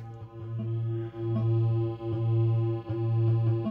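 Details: 1980 Bally Mystic pinball after fixing low 5 V on the solenoid driver board (voltage regulator jumpers), game started: clear electronic start-up tones and chimes over a steady low hum; the sound board works normally.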